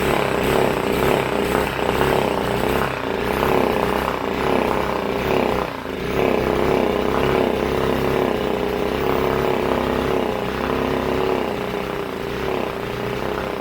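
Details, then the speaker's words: Briggs & Stratton factory mud motor being revived: a small single idles with an uneven, loping beat that surges and sags. It was backfiring earlier and the lower end is good. Rough idle. "so hopefully you can hear me like I said it's ruining everything but it ain't idling quite right but lower end's good"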